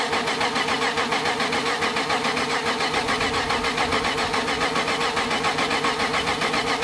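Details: BMW E30 with freshly built M52 turbo engine (modified M50NV/M54B30 cams, Megasquirt) on first start after oil priming, battery weak: steady starter cranking about one chug a second, never firing; fuel pressure still building.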